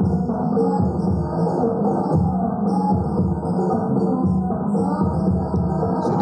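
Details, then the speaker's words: Power amplifier after repair, replacing the dead transistor that caused the mains hum: music plays clearly and evenly with no hum or buzz underneath. "thanh rồi vâng, nó rất tốt vâng và nó không còn ù nữa vâng"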